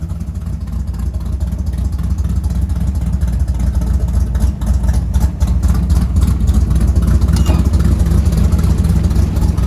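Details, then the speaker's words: Ford F100 V8 revving cleanly past 3,000 rpm with strong, even firing and no backfire after harmonic balancer replacement, timing set at 11 degrees BTDC; previously backfired above 3,000. "Now that is the first time since I've changed that harmonic balancer, that's the first time I've been able to rev past like 3 grand without it backfiring or giving me problems after."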